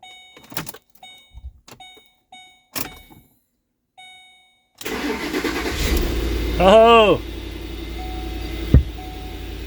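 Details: Pickup truck that had sat unused, earlier crank-no-start with no fuel pump sound; after the module was replaced it cranks briefly, catches cleanly, revs once and settles into a steady even idle.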